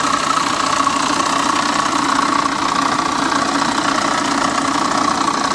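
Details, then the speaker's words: C4 Corvette, guessed to be a 5L, with the A/C bypassed and its belt and pulleys removed; started on its own: a light, uneven tick about three times a second over the idle. Owner suspects the water pump, an accessory or the top end. "I don't know, man. That sounds uh that sounds a little sketchy, but she did fire right up on her own. Got to give her that. Yeah, that sounds like a water pump or something."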